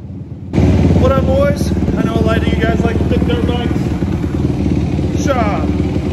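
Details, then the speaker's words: Suzuki RMZ 250 with Athena 290 big bore kit, jetted carb and Big Gun exhaust catches instantly, settling into a crisp steady fast idle with sharp throttle blips. Healthy running. "Fires right up and rips, man. Jetted carb, big gun exhaust. Sounds good, y'all heard it."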